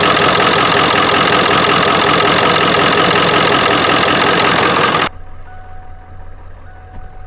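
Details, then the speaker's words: 1997 Ford F350 Powerstroke diesel dually idling after an easy start following a week of sitting: loud, even clatter about four beats a second, steady without misses; healthy idle. "This is a 97, and it just started that easy after sitting for a week. So the engine is really fantastic."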